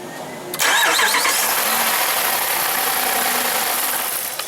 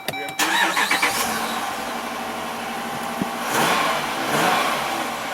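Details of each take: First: 2012 Jeep Grand Cherokee Overland with Hemi V8, intermittent no start: starter cranks at even speed about four seconds with no firing; no power reaching the fuel pump, TIPM suspected. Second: 2012 Jeep Grand Cherokee Overland with Hemi V8, intermittent no-start with no fuel pump or pressure: with the fuel pump run by scan tool actuator test, engine cranks briefly, catches and idles evenly with light revs, starting and running normally.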